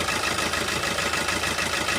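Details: Diesel car with injector two switched off through an OBD2 scanner app. The idle is uneven and lumpy with a shake in the rhythm because that cylinder is dead.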